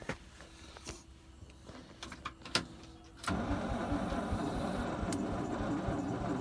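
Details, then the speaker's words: 1968 International C1100 unregistered for about 36 years, first start attempt: a steady, even cranking churn that never fires. No spark, the battery seemed short of charge, and the distributor needed cleaning. "well i couldn't get any fire last night and i just couldn't get enough juice to the battery it seemed like"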